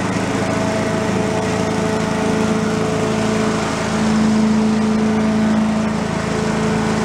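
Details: Commercial walk-behind leaf blower, repaired after carburetor problems, set on the ground for an extended run to check smoke: steady high buzzing two-stroke drone at even pitch, no misses or surging; normal running.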